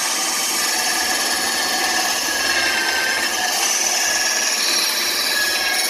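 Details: New bandsaw still being dialed in, cutting along a curved line after relief cuts: even, steady rasp through wood with no bogging or labouring; cutting normally.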